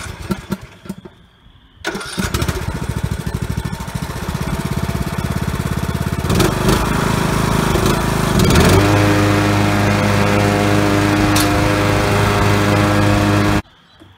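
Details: Huskee LT4200 riding mower with 42-inch deck, after replacing a broken drive belt: after a few cranks it starts and runs evenly, then picks up a steady hum as the deck engages. Normal running.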